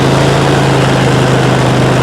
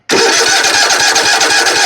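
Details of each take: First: Zero-turn mower, 96.5 hours, after refueling from running dry, customer-installed new carburetor, fuel filter and pump: loud steady high-pitched drone, then shuts off and winds down; running too fast, new carburetor suspected. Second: Zero-turn mower, 96.5 hours, wouldn't start after running out of gas; leaking customer-fitted fuel shut-off valve pulled air. Cranking after blowing air into tank: quick even pulses go straight into firm steady run, starts cleanly.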